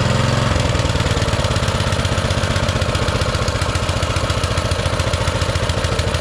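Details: Baja Motorsports Baja Warrior mini bike, single-cylinder with small Japanese-made carburetor, just started: a fast, even popping at a raised idle held up by the choke; the owner fears taking the choke off will make it rev higher.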